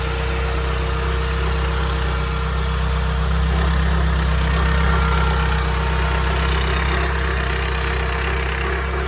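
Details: Porsche 931 (924 Turbo) at steady idle with a light metallic rattle about four per second that cuts in and out, only at idle; located by steel rod to the turbocharger or blow-off valve case, turbo not yet disassembled.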